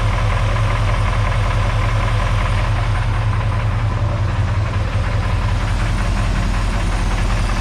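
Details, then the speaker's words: Chevy 350 small block V8 at rough idle while overheating: temp still climbing past 180 with the thermostat apparently not opening, coolant bubbling. Irregular light rattle at 2–3 per second, louder on one side; owner wonders about a rocker, unsure. "I wonder whether it is a rock house let sound a little stronger on that side sometimes sometimes it sounds more rety here but I don't know"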